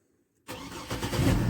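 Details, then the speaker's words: Old truck with 204,000 miles after new battery cables; silence, one short crank and it catches at once into a steady idle; previously slow to crank from low cold cranking amps; normal quick start. "barely touch it boom she fires up before i had to sit there and crank on it i didn't have enough cold cranking amps coming into the thing"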